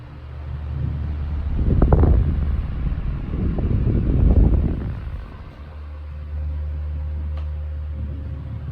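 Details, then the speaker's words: Restored 1938 GE 12-inch oscillating fan (49X929) on low speed with oscillation on: a smooth, even low hum, quieter than high speed. Normal running. "I like that this fan has a very distinct difference between low and high speed and low speed is definitely the speed that I'm going to be using it the most uh because it's much quieter still moving a lot of air and the oscillation speed is a lot more appealing it's just beautiful"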